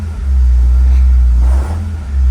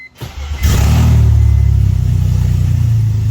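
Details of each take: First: BMW 330ci running, mic near transmission area: heavy deep knocking rumble with clutch in or out, owner suspects bell housing/clutch area. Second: BMW 330ci with open headers and no cats, after the transmission was pulled and the flywheel bolts were found to cause the knock: a loud, deep rumble with a brief rev, running evenly with no knock or rattle.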